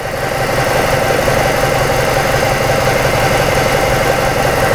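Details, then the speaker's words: 2006 Ford Escape 2.3 four-cylinder with a persistent misfire: rough, loud idle with an irregular stumbling pulse about three per second; pressure analysis shows exhaust cam timing about 30 degrees late, two to three teeth off. "now since that's off that's 30 degrees each tooth is worth 15 degrees rule of thumb so basically that's two to three teeth off"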